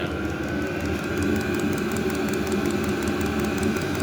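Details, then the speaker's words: Newly installed diesel heater on first firing: quick soft regular ticking of the fuel dosing pump over steady blower hum; quiet pump, running normally. "I don't know if you can hear it but it's make a little ticking noise people say they're annoying they have quiet fuel pumps that's good"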